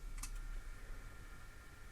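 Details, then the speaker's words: Nokia Lumia 1020 41MP camera in Pro Camera app: faint thin high whirr with a small tick near the start as the lens hunts for focus; normal camera autofocus noise. "it's actually trying to focus in and you can hear the lens making noise interesting"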